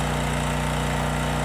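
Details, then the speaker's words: 5000 W Homelite generator with 9 hp Subaru engine, running at 2500 W load (half load): loud, steady low drone holding speed without surging, though it got loud and almost sounds like knocking; normal run under load. "No issues at all. Now we're at 2500 W, so it's running fine. Although it did get pretty loud. Almost sounds like knocking."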